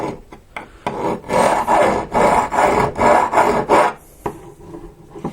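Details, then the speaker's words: Prusa i3 MK3 hardened steel rod scraped with a file beside a soft rod: short light rasping strokes skate over the surface without biting, unlike the soft rod that cuts in; hardened rod resists the file, sound. "This is the soft one. You can hear it cutting in. And this is the hard one."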